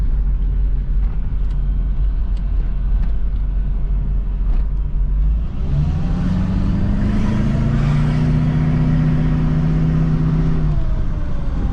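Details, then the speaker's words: 2004 GMC Yukon with LBZ Duramax swap, first drive, turbo vane actuator suspected, low on fuel and power steering fluid: diesel drone rises then hangs flat without shifting, revving only to about 2000 rpm; transmission not shifting. "like not not wanting to shift only revs out to like 2 000 rpms we're gonna have to fix that"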